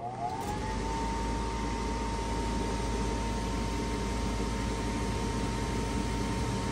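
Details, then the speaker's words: 2007 Heil gas furnace with three burners and hot surface igniter: draft inducer motor whine climbs quickly in pitch, then holds a clean steady tone over a low hum; normal startup before igniter and gas valve click. "nice startup from the draft inducer so the blower fan motor turns on"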